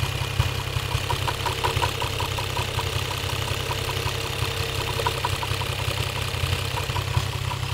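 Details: Toyota 1JZ-GTE VVT-i engine at rough idle with a faint, loosely regular light knock about two per second over the low rumble; engine knock, cause unknown.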